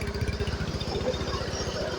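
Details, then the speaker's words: Honda Beat Pop two-stroke after rebuild (scored cylinder and old piston replaced): crisp, regular exhaust putter about ten pulses a second, no skips or hunting; very smooth, exhaust no longer smoking white, only thin residual smoke expected to clear. "suara sangat [Musik] halus knalpot sudah tidak mengeluarkan asap lagi ya teman-teman"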